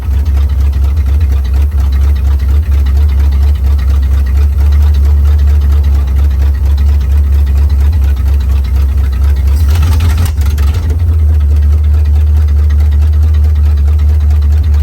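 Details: Formerly seized 265 V8 in a 1956 Chevy Bel Air, fed from a boat tank with carburetor bowls filled, no radiator: deep, steady low rumble with an even beat, no knocking; idles smoothly on its own.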